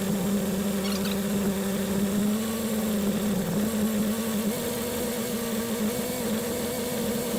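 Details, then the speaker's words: 1976 BMW 2002 (E10) M10 engine after installing new Weber-style carburetor, newer coil and ground wire: steady, even idle around 700–800 rpm with constant low hum and no misses; much smoother than with the old carburetor. "Well, it idles an awful lot smoother than the other one. This end here is pretty quiet. I think that carburetor is a bit better than the other one."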